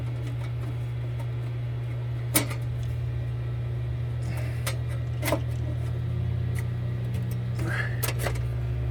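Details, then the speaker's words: 2015 Frymaster FPEL314CA 208 V three-phase electric fryer while cycling heat: loud, steady mains hum and buzz from the heat contactor, its button stuck and not coming up when cycling; contactor must be replaced. "So I believe it's coming from the contactor. One of the coils is stuck."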